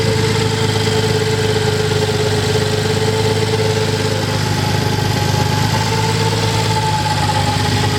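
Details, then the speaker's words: Nissan 300ZX, first start after hydrolock from a deep puddle, with oil and spark plugs changed: rough idle with a light fast tick at engine speed, no deep knock — cylinder 5 lifter tick, not rod knock. "No knocking, just that cylinder 5 lifter ticking."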